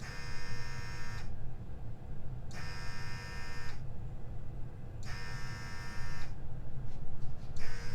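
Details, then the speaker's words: Car with key on and engine off during a Tech 2 code scan: loud, constant electric buzz surging roughly every second and a half; mic faces away from it. Source unknown; a viewer suggested the vacuum pump. Cause suspected, not confirmed. "So it pretty much just makes that noise non-stop. Like, I mean, the direction, or the microphone is facing my direction, so I don't know if you can even hear it, but it's pretty loud, and it's just doing it non-stop, which is very annoying."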